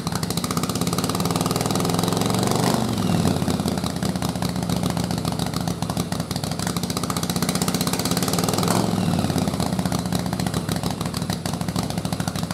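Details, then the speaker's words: Single-carb conversion on V-twin with unequal-runner manifold, stock 122 main and 41 pilot jets, choke on: rough surging firing when revved; rear cylinder ran so lean (AFR 22) it stopped firing. "so as you can see from the air fuel when I tried to rev it up that back cylinder went so lean it just stopped running and you saw 22 so it wasn't even firing"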